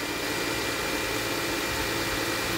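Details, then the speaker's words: Mercedes-Benz ML350 idling after a few seconds of settling; the whine like a failing power steering pump, which was worse at high revs on cold start-up, is gone even with a little rev; smooth, steady idle. "it's only been a few seconds but it's settled itself down now and if i give it a little rev that noise is totally gone now"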